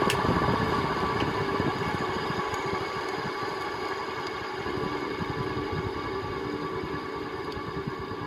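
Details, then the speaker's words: 1979 SMC M48 metal-blade ceiling fan running with a gritty rumble and scattered clicks and clunks. Worn bearings with dirt, gunk or rust; contact cleaner, oil and WD-40 didn't help, so the bearings need replacing. "very very powerful fans there 1979 you can hear that clicking and clunking probably which is the it's due to the dirt and gunk or rust or whatever that's in the bearings"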